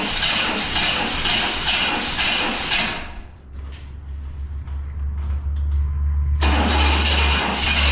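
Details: 1999 Chevrolet Tahoe that sat for 14 years, first start after adding three gallons of fuel: it cranks, stumbles, then runs with a heavy rhythmic knock under a lumpy idle at 60 psi oil pressure and light smoke; the engine is blown.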